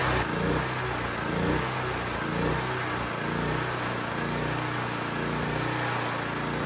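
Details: Used Champion C49055 4.5-5.5kW generator with Honda GX270-clone single-cylinder converted to propane via tri-fuel carb, warm with choke off: speed rises and sags about once a second instead of holding steady; hunting, cause unclear (owner suspects mixture, valves, oil).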